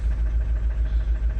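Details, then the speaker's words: Opel Zafira B 1.9 diesel, won't pull below 2000 rpm; low idle with uneven, lumpy pulse and irregular dips, running the same with third injector plugged or unplugged: failed injector, to be bench-tested or replaced. "якщо ми надіваємо фішку у нас ця помилка пройде але мотор буде працювати так само це означає що це означає що у нас неробоча форсунка"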